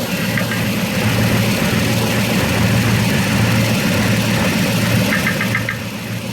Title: 2006 tundra v8 4.7 knocking noise